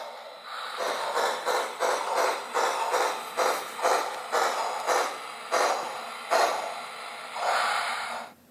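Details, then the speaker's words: HO locomotive after four years of high-mileage running, with program momentum, coasting down after the throttle is cut, audio muted; light, even mechanical pulses about twice a second, no grinding; solid, normal drive mechanism. "So with it muted, you can hear the mechanism is still very solid."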